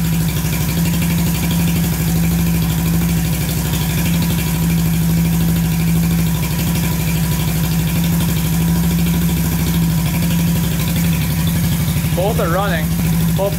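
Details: Barn-find Honda CB350 twin (listed as 1970 or 1974), revived after years sitting, warm with both pipes hot: steady low even idle, both cylinders firing, healthy-sounding.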